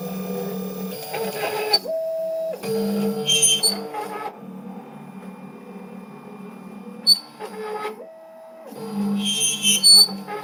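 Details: Wombot Exilis XL 3D printer damaged in shipping (loose frame parts, top cross bar knocked off, cracked ABS parts); while printing, sharp high squeals in short bursts with motor moves over a low hum, plus print quality issues.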